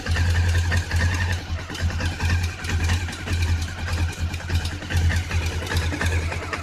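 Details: Honda CB500 twin idling cold: an uneven, rough, clattery beat over the low rumble. Abnormal engine noise, cause unclear.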